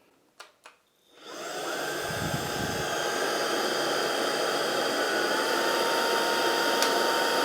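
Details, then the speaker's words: Proscenic P11 Smart vacuum in automatic mode, brush pressed by foot to add resistance: steady high motor whine rises in power as brush is loaded, drops back 2-3 seconds after release; normal auto power boost. "on entend bien le moteur qui augmente sa puissance quand je mets le pied sur la brosse et qui, au bout de 2-3 secondes, quand je retire mon pied, rediminue à nouveau la puissance."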